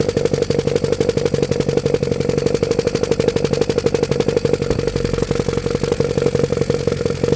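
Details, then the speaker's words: Honda Civic EF with swapped B18C4 and OBX individual throttle bodies: hard uneven clattering beat, stumbling, never smooth; rough running when revved, owner suspects nonstandard ECU setup, unconfirmed. "so I think it's just because it's so out of standard that it's just not running very well so I'm going to get a different e you and check how that runs"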